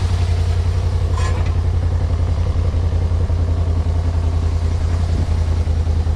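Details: 1991 Yamaha Venture Royale four-cylinder after revival and warm-up, choke off: deep steady rumble at about three and a half pulses a second, no misses; carbs seemingly not too dirty; normal idle.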